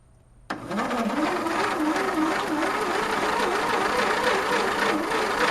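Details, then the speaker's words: Mastercraft race tractor engine with the spark plug removed, weak battery, rear end stuck in gear: the starter whirs with a slow wavering pulse, about three to four turns a second, turning over lazily and never catching. Slow cranking, no start; lack of spark suspected. "seems like it's spinning a little bit quicker this time"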